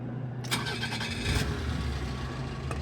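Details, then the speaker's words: 1988 Nissan Be-1, 1.0L carbureted four-cylinder, 3-speed automatic, about 74,600 km, hot day: brief crank, starts right up to a steady, even idle with no weird noises; radiator fan audibly blowing, stuck on, owner suspects the radiator fan sensor. "No weird noises, but you can definitely hear that the radiator fan is blowing. It is very hot out so I mean it very well could be, but I know it's stuck on."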